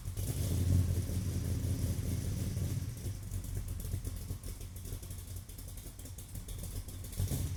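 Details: Car filmed from about 40 feet behind on a tripod after a vacuum leak was fixed: smooth, even engine and exhaust note with brief revs that rise and settle cleanly; normal running.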